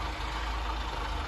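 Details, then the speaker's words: Austin Allegro, fully warm: low, slightly shaky idle with a faint wobble, worse at traffic lights because idle speed is too low; turning the idle screw an eighth of a turn clockwise made it smoother. "it is a little bit shaky just every slightly so I'm glad I've captured this on camera so you can see what I mean it's slightly worse than this way it's at the light sometimes so a little bit of adjustment on the idle would do some good"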